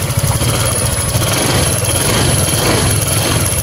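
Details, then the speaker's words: Honda Vario 150 scooter with lost ignition, after fitting a new ignition coil: steady even buzzing run, no misses or stumbles; fault was only the coil. "motor menyala ya motor sudah berbunyi berarti permasalahan motor ini hilang pengapian hanya pada koilnya ya kan"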